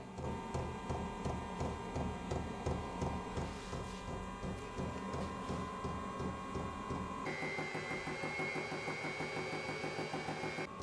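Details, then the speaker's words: Vevor 5kW diesel heater warming up a few minutes after start: regular fuel-pump ticks about three per second under a whirring fan rising in pitch as it heats; normal operation. "now that it's uh starting to heat up a little bit um I do hear the uh Little Engine or whatever uh winding up a little"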